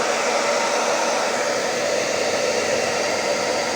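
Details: Repaired professional hair dryer with a new motor, in its final test with voltmeter and ammeters, on speeds one and two with and without heating (almost 8 A on speed two with heating): smooth, even airy rush with a steady hum, no rattles; running healthy.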